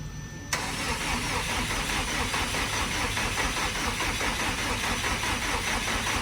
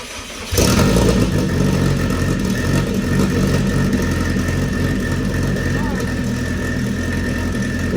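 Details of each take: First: Car first start after sitting over a year, wheels off ground: starter spins the engine at an even cranking rhythm with no firing; no fuel delivery because fuel pump feed and return lines on the hanger were swapped; engine not seized. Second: Race car first start after sitting over a year: engine fires and settles into a steady, even idle with no stumble; runs properly.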